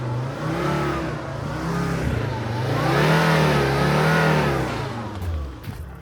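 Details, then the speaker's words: 2005 Volvo V70 2.4D SE AWD automatic with the 2.4-litre D5 diesel, 61,000 miles, full service history. Free-rev blips climb and settle smoothly with no knocks, rattles or smoke. Normal healthy free rev. "Give it a little rev so you can hear it. See if there's any smoke or anything, which there isn't."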